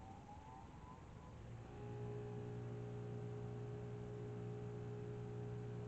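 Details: New bench grinder with two different stones, first power-up after the old grinder broke; motor winds up with a rising whine for about two seconds, then settles to a steady, even hum with no wobble or rubbing: normal running.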